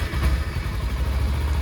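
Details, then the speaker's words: Used motorcycle inspection battery test: engine fires easily during three consecutive starts and settles into a low, steady, even idle with no stumble, showing the battery is in good shape; normal engine start. "But if like this one started absolutely fine for all 3 times, so that means the battery is in good shape."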